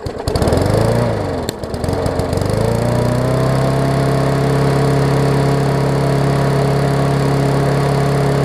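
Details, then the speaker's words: Murray 20-inch 3.75 hp push mower, long dormant with freed stuck intake valve, first run, old oil: engine catches, hunts briefly, then holds a steady drone. "so yes that governor arm is actually very stiff so let me grab a quarter inch and uh actually it's loosened up a little bit as we speak here"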